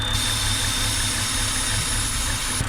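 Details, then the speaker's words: 2007 BMW X3 with N52 engine at idle: thin steady high whistle/whine that changes with the oil cap; most likely the rear main seal sucking air under excess crankcase vacuum, engine running rough. "and it's the air passing through from atmosphere into the crankcase through the seal and it makes that whistling noise and obviously we're gonna run rough"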